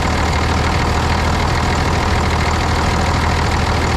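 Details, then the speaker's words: 1995 International 4700 dump truck, DT466 diesel, after fuel system priming from running dry: fires into a heavy, steady diesel rumble with even low clatter, smooth idle without stumbling; normal idle. "excited to hear that thing fire up. Been sitting here like a week. Awesome."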